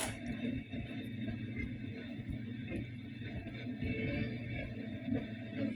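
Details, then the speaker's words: Warm Zenith tube radio on FM: music with faint, scattered crackles from silver mica disease in the IF cans, much improved after fitting a variable capacitor to the first can; worse when alignment equipment is connected. "I mean, you can hear it crackling there, but not bad. What would you like the power to do? But it's a whole lot better."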